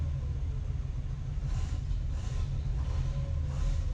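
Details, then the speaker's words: 1955 Oldsmobile Rocket 88 V8, barn find that sat 22 years, first run: deep uneven idle rumble with a faint airy hiss coming and going; suspected big vacuum leak, good oil pressure, little smoke or blow-by. "Sounds like it's got a pretty big vacuum leak."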